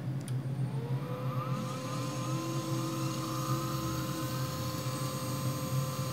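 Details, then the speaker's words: New 3HP ATC spindle on a Grizzly G0704 CNC mill, first run on a Hitachi WJ200 VFD, drawing about 1.3 A. Smooth steady whir whose pitch climbs and settles as speed is varied; no rubbing or knocking, healthy spindle motor. "there it goes and then this should control the speed slow it down and speed it up"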